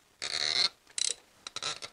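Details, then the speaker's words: Squealing, creaking spark plug threads in a coil-over-plug engine: sharp high squeaks in short bursts as the plug turns, from dry threads seizing because no anti-seize was used at the last install; plan is to work it back and forth. "The main reason I'm doing this video today is because someone hasn't used an anti-seize compound on the threads of the spark plug."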